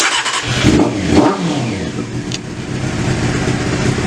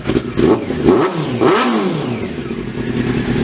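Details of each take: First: Honda CBR600 after carb work and a fuel-leak fix, not run since March, with some choke: it catches, blips twice, then settles into a low, slightly uneven idle. The idle screw may need adjusting; rough idle. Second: Honda CBR600 after carburetor cleaning, first run since March on choke, dry engine; crisp throttle blips rising and falling cleanly, returning to smooth even idle with no stumble or misfire, runs well.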